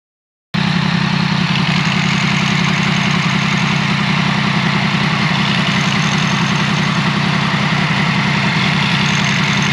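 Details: Yamaha MT-10 idling with the clutch lever pulled: loose chattering rattle as worn clutch plates, notched by wear, move loosely in the basket until the notches align.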